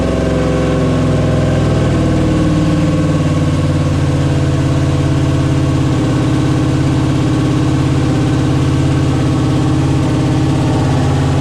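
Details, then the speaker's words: Chevy CUCV with a new 6.0 V8 at first start, idle set to 650 rpm in the tune. A fast, even idle stays well above target. Owner suspects an air or vacuum leak; cause unconfirmed. "all right uh it's still idling way higher than I want it to I'll have to figure out why maybe I mean there's good possibility that's an air leak or vacuum leak or something on this thing"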